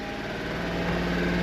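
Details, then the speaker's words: 1996 Honda Street van after tune-up (new plugs, wires, coil wire, valve cover gaskets, oil change, timing): starts on first crank, quickly settles to an even rising idle, no misses or knocks; healthy. "We're gonna start it up, and then I'll get her out."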